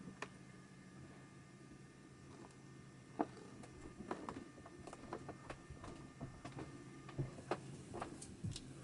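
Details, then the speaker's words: Sony EV-DT1 Video8 Trinitron combo after restoration and reassembly, first power-on: quiet room, then scattered soft clicks and brief motor whirs as the tape mechanism runs its initial startup test; normal startup. "Okay, fingers crossed. Let's turn it on. Oh, tape deck's doing something"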